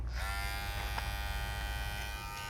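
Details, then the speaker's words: Babyliss Pro X T 45 hair clipper running with attachment guard fitted: steady motor buzz with faint uneven chatter; guard is a loose fit and rattles unless held, unlike a Stylecraft clipper with guard that doesn't rattle. "That's It's not a good fit. That to me is not acceptable. I have to hold it, which I should. You should always hold your guard, but it shouldn't be that I have to do this in order to not hear the rattle."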